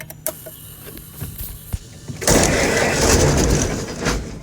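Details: Ford Model T truck engine, first start after fitting a new cylinder head, on gas left from the day before: scattered clicks and thumps, then it catches and settles into a loud, rough, uneven run; it starts.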